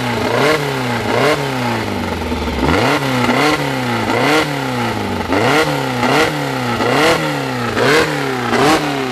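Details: Newly assembled 2054 engine (Fusca) on its first run, idle set at 1200 rpm and kept high so parts seat in: quick, even rev blips with a clean note and no knocking; normal break-in.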